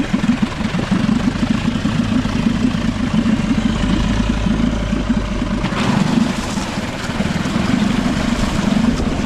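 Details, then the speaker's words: Nissan/Tohatsu 5 hp single-cylinder four-stroke outboard, sat for years: steady, even putter at idle without hunting or stalling after fine-tuning the air mixture (pilot) screw; idles normally. "a little fine tweaking of that air mixture screw I think I finally got it IA better"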